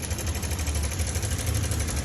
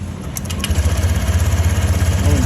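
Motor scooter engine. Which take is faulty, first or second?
first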